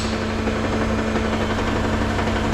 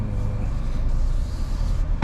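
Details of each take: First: 2018 Toyota Camry, 2AR-FE, automatic, engine lifted, AC on; steady idle with a light, uneven knock from between engine and transmission, which stops under load; flexplate cracked completely around the bolts, not connecting rods. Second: 2018 Toyota Camry 2AR-FE automatic after replacing a flex plate cracked around the bolts, AC on: low even idle with no knocking or ticking, only a short bump near the end; knocking gone.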